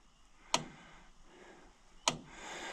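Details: Electric fence charger reconnected after fixing a fence section with no power near the gate: two sharp snapping clicks about one and a half seconds apart, firing steadily and evenly every time; fence fixed.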